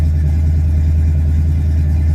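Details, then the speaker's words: 1967 Chevy C10 after a cold start: a loud, deep, booming tailpipe rumble at steady idle with nothing damping it; the owner says it is noisy and needs a muffler. Loud exhaust with no muffler. "God, she's noisy. I need a muffler."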